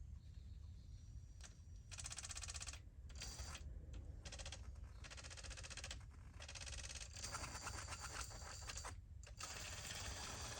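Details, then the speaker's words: RC crawler (TRX-4 based build with LCG kit transmission, rear underdrive): short bursts of harsh, rattly whirring as motor is throttled on and off, 'drunken chainsaw'; gear mesh noise, pinion needs dialing over. "now the transmission sounds a bit like a drunken chainsaw which is not surprising because the pinion we need to dial the pinion over a little bit"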